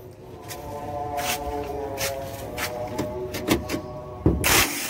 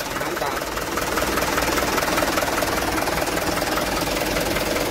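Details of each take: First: Mitsubishi Canter truck starter motor whirring freely with sharp krak-krak clacks while the engine never turns over; worn, slipping bendix gear diagnosed, fix is replacing the bendix gear. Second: Mitsubishi Canter truck after the starter motor was removed and refitted because of a damaged starter bendix gear: steady diesel clatter at an even idle, no grinding or misses; starts and runs smoothly.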